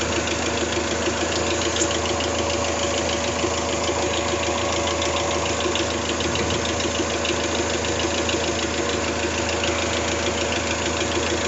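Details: Toyota 3S-GTE at idle: steady idle with a light, fast ticking rattle about three per second; minor top-end tick, cause unclear.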